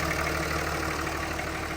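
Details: 2003 Ram with 5.9 Cummins diesel, first start right after an injector swap to fix hard starting, lines bled by cranking: a little puff of smoke, then steady, even idle clatter with no stumble or miss; healthy idle.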